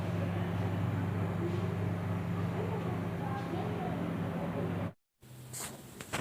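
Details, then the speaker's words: Dawlance microwave oven after the cooling fan repair, tested on a 1-minute timer with a cup of cold water; constant low smooth hum without scraping or rattling, abnormal sound gone — normal fan running. "तो दोस्तों ये है रिज़ल्ट। माशाल्लाह साउंड तो ख़त्म हो चुका"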